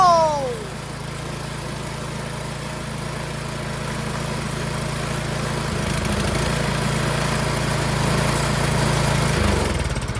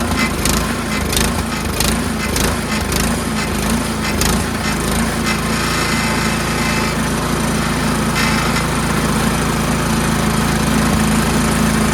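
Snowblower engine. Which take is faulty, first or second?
second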